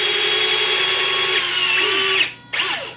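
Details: FMS BlitzRCWorks Super B-25 RC model electric retracts cycling: small motor whines at steady high pitch about two seconds, stops, then a short second burst; normal.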